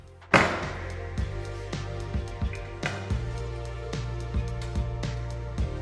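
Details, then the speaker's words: Tapping a floor tile beside cracked grout in a house with poorly laid tile; uneven dull taps about every half second sound hollow, not solid, the tile is unbonded from adhesive and lifting, to be relaid. "Там где трещина Я уже 100% знаю что начинает плитка постучал постучала и плитка вся"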